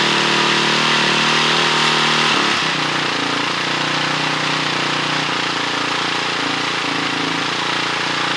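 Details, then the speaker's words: 2006 Honda CRF450X with a 450R top end, just rebuilt. Fast, even single-cylinder idle with a steady crisp exhaust beat and no stumbling after the fully unscrewed idle screw was turned in. Slight smoke from rebuild residue burning off. Normal idle. "That sounds pretty good. I need to button it up the rest of the way, and then I'll be able to ride it, see how the jets are feeling."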